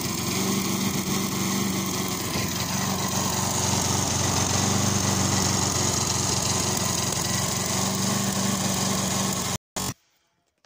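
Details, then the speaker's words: Tecumseh lawnmower engine at normal idle after winter maintenance, sounding a lot better than before and ticking over nicely: a small single-cylinder engine at a steady, even speed with no surging or misfire. "As you can hear, it's sounding a lot better. Ticking over there nicely."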